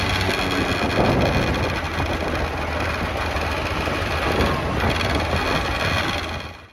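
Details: 1989 Yamaha Riva Razz 50cc two-stroke scooter with 2,500 miles, after a tune-up and a premix conversion, with slight smoke blamed on leftover line oil. A steady, slightly lumpy idle with a rattly buzz that holds even before cutting off; running fine.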